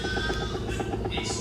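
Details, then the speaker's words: LG top-load automatic washer during spin/dry: loud rapid rhythmic clatter over a steady hum from a worn, loose gearbox, fixed by replacing the gearbox. "ang problema niyan guys ay gearbox no. So overload po ang cost niyan kapag ganon siya kaingay no."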